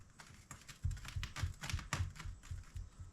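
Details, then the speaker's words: Driveshaft U-joint from a 1976 MGB with LS V8 swap, rocked by hand, giving light, uneven clicks about four a second: worn U-joint needle bearings, needs replacement after the driveshaft broke a U-joint. "hear it clicking. Those bearings are bad in there, so I'll need a new one of these."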